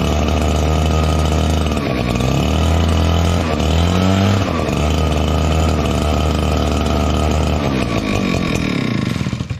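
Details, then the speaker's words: Echo PB9010T backpack blower, cold start, choke off: two-stroke bogs and burbles as throttle opens, revs sag and wobble instead of climbing. Lean carb mixture, worse in cold; adding choke masks it, needs richening. "you can hear it bumbling it's really bad when it's colder outside so let's see if we can't fix this"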